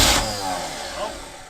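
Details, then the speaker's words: Abandoned, flooded Chevy K5 Blazer on first start attempt: brief firing burst then fades and dies; runs only with key in crank position, low voltage measured to coil in run position. "fired for a second there I think I can already tell that we've only seen voltage that's what's happening what's happening it's only running on the key is in the Run position or this crank position sorry"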